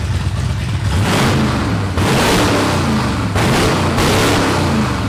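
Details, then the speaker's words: 1989 Ford F-150 after tightening loose throttle body bolts that caused lean running and rough idle: several quick throttle blips rise crisply and drop back to a steady idle without stumbling; much peppier, runs normally. "a lot more peppy than it used to be that's for sure"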